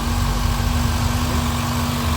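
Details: Mitsubishi ASX after swapping a discharged 10.36 V battery for another: engine starts and idles steadily with an even low rumble and faint hum, charging at 14.62 V; old battery likely at fault.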